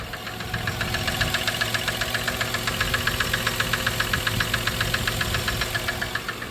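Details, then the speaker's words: 1997 Dodge Caravan LE at idle just after a rod and main bearing replacement, just building oil pressure; a light, sharp top-end tick about four times a second. Owner hears valvetrain noise and wonders if the oil pump is failing. "just built oil pressure and the noise is gone it's definitely got some valve train noise but it's got to build oil pressure"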